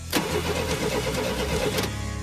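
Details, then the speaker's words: Older car cranked during a spark test with a test light; the starter turns the engine at an even rhythm but it never fires, no spark. Owner suspects the points contacts aren't closing, possibly something grounding on the distributor case. "Sounded terrible. I'm already about 114.2% positive the points, you know, they're not the contacts aren't pointing."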